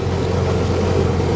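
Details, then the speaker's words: 98-year-old Ford Model T pickup four-cylinder climbing a steep off-road trail in Moab under load: deep steady drone reverberating off rock walls, no knocking, missing, bogging or surging; strong normal running. "Case, that mighty four-cylinder is reverberating off the walls. It's pouring. It sounds great. We're making awesome power. It's not even bogging."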